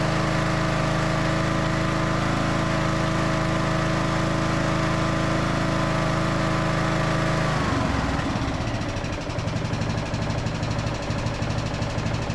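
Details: Briggs and Stratton–powered Craftsman DLT3000 riding mower after fuel tank flush and fresh fuel, fixing a no-start: steady smooth hum at higher speed, then settles cleanly to a loping idle without stalling or missing; fuel delivery now fine.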